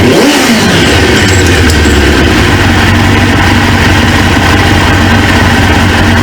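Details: 1999 Suzuki GSX-R 750 four-cylinder, newly installed used engine, after an O-ring repair, warming (gauge about 143, fan expected around 220): loud even steady low rumble, no misses or knocks; idles smoothly.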